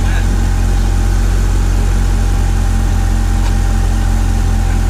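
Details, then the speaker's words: 1990 Honda Accord after a new muffler was fitted: a steady, low, even idle with a soft regular pulse and no exhaust rasp or blowing; it sounds much better than before. "As y'all can see, it sounds way better than what it did before, and"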